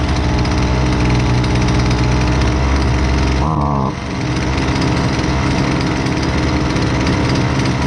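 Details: Husqvarna 128LDX two-stroke string trimmer, fixed after sitting unused: steady high buzz with a brief dip and quick recovery midway as mixture settles; running cleanly.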